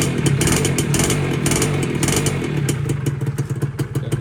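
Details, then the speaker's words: Dash New motorcycle, Thai model year 44, original: cold two-stroke starting and popping along at an even idle, about three beats a second, no knocks or rattles; engine healthy. "เดี๋ติดเครื่องให้ฟังนี่เครื่องเย็นๆอันนี้เครื่องดีมากครับ"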